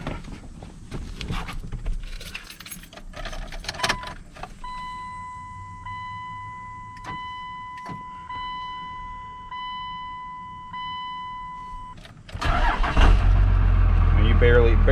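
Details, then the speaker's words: Second-gen Dodge Cummins diesel pickup: warning chime with the key on, then it fires almost instantly and settles into a strong, even idle; normal cold start. "even touch the key and that's already she's fired up ready to roll"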